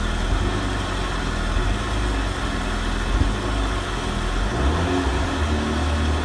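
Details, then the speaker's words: Renault Megane RS Cup 225 idling after a new eBay fuel pump assembly was fitted; the pump is audible where the old one wasn't, no fuel leaks, tank low. Even, low idle rumble without misses or knocks. Normal idle. "What's interesting is I can actually hear this fuel pump. I couldn't hear the previous one whatsoever."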